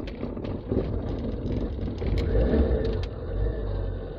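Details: Dacia that had been playing up, after a new distributor cap and rotor arm, started on choke: engine catches and settles into a quiet, even idle with light revs, no misses or rattles; normal start and idle.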